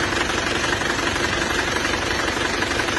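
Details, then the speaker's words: Diesel Panther engine from Mesuji Lampung, as received after a previous rebuild that never ran well: rough running with steady tapping tick about two per second over heavy crankcase blow-by, thick exhaust smoke; diesel ticking knock. "Kita periksa dulu itu sudah emang terpantau ngobos ya. Asap distnya tebal dan suaranya agak kasar."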